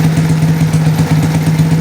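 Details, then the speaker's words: Motorcycle being rewired (ignition switch to headlight) after a blown fuse was replaced: engine running while battery charging is confirmed working; smooth even idle, steady low hum and regular pulse, no misses or rattles; normal idle. "Sekarang kita cek ini mesinnya juga, kita nyalakan, kita sekaligus ngecek kontaknya."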